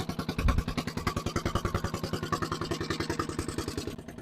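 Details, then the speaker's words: Barn-find dumper's single-cylinder diesel first started after long storage, has compression: chugging about three and a half beats a second with a loose clattery edge, very smoky; smoky rough running, cause suspected, not confirmed. "it's running that does not sound good better see if the fire and all sorts of caught out there that is very smoky but"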